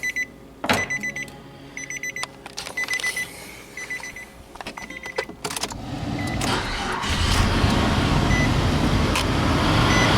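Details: 1999-04 Nissan Xterra 3.3L V6 first start after timing belt and water pump replacement, cooling system not yet bled: dash chimes, short crank, fires and builds to a smooth, steady idle; healthy.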